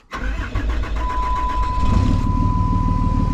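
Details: 2007 Dodge 2500 4x4, 5.9 Cummins diesel, after fuel filter change and key cycling to prime: brief crank, fires after about two seconds, settles into steady even diesel clatter at idle; normal start.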